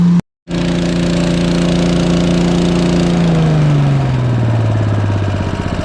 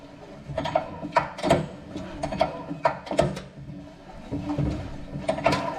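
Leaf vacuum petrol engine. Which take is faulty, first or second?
second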